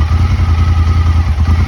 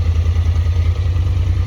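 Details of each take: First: Honda Talon UTV before the fix: loud lumpy pulsing idle that suddenly cuts out, stalling when put in gear or given throttle; a cylinder misfiring from a fouled spark plug. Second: Honda Talon at idle after a ride, previously running rough with a suspected fuel issue: deep even idle, steady low pulse, no misses or clatter; completely back to normal.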